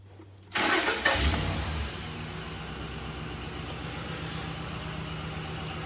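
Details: Ford Expedition with a fuel delivery problem, after cycling the key restores power from the fuel pump relay: brief crank, clean catch with a short flare, then a smooth even idle that holds; starts and runs normally.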